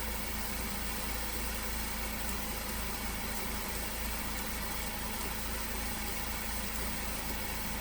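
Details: 2015 Ford Focus after alternator replacement for battery warning light and code P0A3B, codes cleared: steady even idle hum, no misses, knocks or ticks; no warning lights, normal idle.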